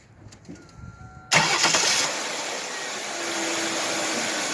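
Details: 2003 Ford Taurus starting and idling after replacing a coil pack whose cracked underside caused a slight misfire after rain: brief crank catches cleanly at once, then a smooth, even idle with no stumble or miss; misfire gone.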